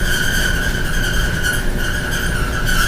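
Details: Loud constant squeaking from a clothes dryer running in a bedroom, a steady high squeal wavering slightly over a low rumble; the dryer cannot be unplugged because the plug is behind it.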